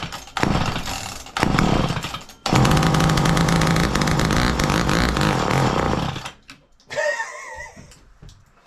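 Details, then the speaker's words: Garage-sale two-stroke chainsaw in a vise: a few pull bursts, then it catches and runs about four seconds with an uneven, surging rasp before dying, smoking. Owner suspects old fuel in an unchecked tank; rough running. "yeah that's a hell of a start I don't even know what this gas tank looked like"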